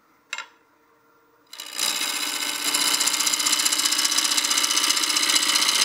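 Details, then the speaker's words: Wood lathe turning a succulent planter blank to round, below about 1000 RPM: even rapid ticking about four per second over hissing cut as the tool skips one or two remaining flat spots; interrupted cut, blank slightly out of round. "round you can hear the sound it's making we're getting closer to round if I put the tool on the top it's skipping just a little bit so there's just one or two flat spots left"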